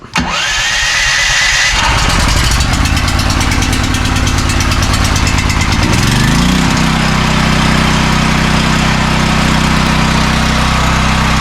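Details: New AGT 12kW (9kW continuous) generator, first start after assembly with fresh oil and fuel: cranks, catches quickly, then settles to a steady governed hum with no surging, knocking or hunting; normal start and run.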